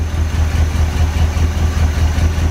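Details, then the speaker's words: Barn-find 1970 Corvette V8, first start after sitting 10 years, run from a gas can: lumpy idle with odd stumbles from a misfire. Plugs or wires are suspected; oil pressure is near 70 psi and there is no smoke. "I can't believe it idles that's sitting for 10 years in it idles definitely missin though sounds good it isn't smoking"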